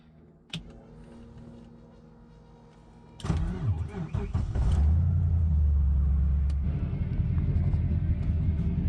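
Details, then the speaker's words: Turbo LS V8-swapped Mazda RX-7 FD after new coils and injectors to cure a cylinder missing across the rpm range: starter whir, then a steady deep idle with mild cam lope, slight chop, no longer smoking; normal idle. "uh sounds so much better guys not smoking anymore it's chopping a little bit but not too bad right about how it's supposed to sound"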